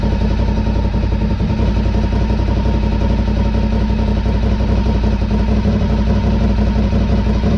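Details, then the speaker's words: 2003 Honda RC51 SP2 V-twin, first start after repairing rodent-chewed wiring to the harness and sensors. Even, steady low thump at about 1,000 rpm idle, with no top-end ticking, cam noise or big-end knocking. Normal idle, engine healthy. "Fantastic, and idles nicely at 1,000, so that's the result. That really is a result. Very happy, and at least from what we can hear, engine sounds pretty good as mechanically. No rattles."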